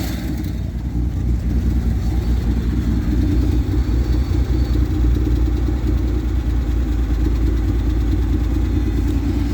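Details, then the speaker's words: Six-cylinder truck with the choke pushed partly in: a steady, even low idle with a soft, regular beat and no knocks or misses. Normal idle. "See if she handles any revs. She sounds good."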